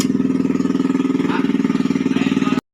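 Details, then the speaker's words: Yamaha Mio M3 / Fino 125 single-cylinder, rebored, fitted with Honda Vario 125 piston (code KWN, flatter crown, modified to fit): quick even firing, loud exhaust beat, no top-end knock or rattle; engine quiet and smooth again after repair. "sobat telah selesai jadi Alhamdulillah mesinnya eh sunyi lagi ya jadi adem lagi mesinnya ini setelah kemarin pemasangan pakai piston pakai piston 125 Vario ya"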